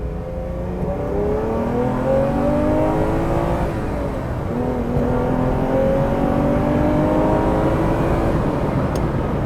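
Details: Ferrari 330 GTC being recommissioned, leakdown readings superb, suspected carbon in pistons and exhaust; on road test, clean strong pull with pitch climbing smoothly through the revs, no misses or stumbles, no exhaust smoke after clearing out; engine running healthy.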